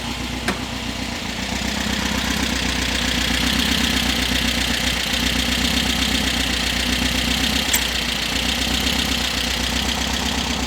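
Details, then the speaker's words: 1973 VW Super Beetle 1760cc with dual 40 carbs, hot start after tuning: light quick ticking at about four per second over a steady idle; valves checked warm, to be adjusted. "I just decided because the way the engine was running to double check the valves. still hot or warm. But, uh, that clicking you heard, I'm going to go and adjust"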